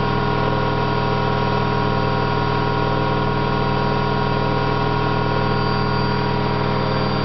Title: Candy GO4 127 DF spinning with bad bearings